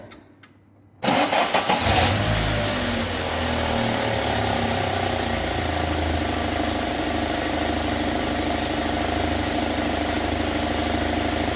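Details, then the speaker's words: UAZ Patriot engine warmed to operating temperature after long idling, fan cycling, oil pressure gauge connected, shut off and restarted: cranks briefly, catches within a second and settles into a quiet, even idle with no knocking. "моторчик работает тихо ровно вот под ним давление все"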